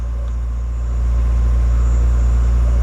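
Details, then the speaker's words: Honda Civic after main relay replacement, had failed to run its fuel pump, sat about two weeks: starts first try, then deep, smooth, even hum with no misfires or knocks. Running normally. "after sitting for probably two weeks crank right over so good chance it was that main relay problem solved at least for now"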